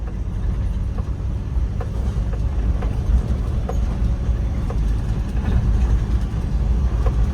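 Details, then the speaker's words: 2002 Toyota Qualis after suspension work, driving: steady road and engine drone with only faint light rattles from boot and roof-mounted LCD, no clunks or knocks; all suspension noises solved, front end tight. "സസ്പെൻഷന്റെ ഭാഗത്ത് നിന്നുള്ള എല്ലാ സൗണ്ടുകളും കംപ്ലീറ്റും solve ആയിട്ടുണ്ട്"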